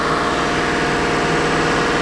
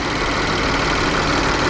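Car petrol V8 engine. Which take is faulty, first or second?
first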